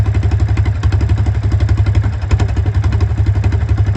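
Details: Honda single-cylinder engine driving an Eaton series 11 hydrostatic transmission in a homemade inboard boat, fast idle; owner says it runs poorly, carburetor not checked: thumping with an uneven, lumpy beat; rough running, cause not pinned down.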